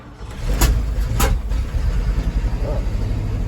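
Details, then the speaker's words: 1975 Ford F250 390 FE V8, formerly locked up, new cap and rotor, carburetor needing adjustment; two sharp pops as it catches on cold start, then settles into a steady rumbling idle; backfire on start, cause unclear. "First time I've ever backfired. Yeah, buddy. She sounds good now. I don't know what that first little cough was."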